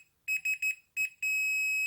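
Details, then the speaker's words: Industrial welding turntable, meter on continuity with the probe on frame metalwork: sharp high beeps, four short then one, then a steady tone; earth bond to the frame is intact. "we should expect to expect to beep now when we put it on the live or the neutral we shouldn't because these should be not touching any metal work extraneous metal work of the machine"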